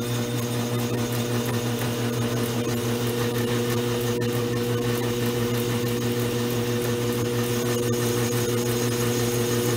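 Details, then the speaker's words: Vintage 1920s Goodell Pratt Model 494 amateur lathe, cleaned up and running on slightly heavier oil, making a nice cut with curly chips; steady motor hum and soft belt whir, no chatter or knocking; normal cutting. "Okay, you can see it making a nice little cut. Some nice curly little chips there."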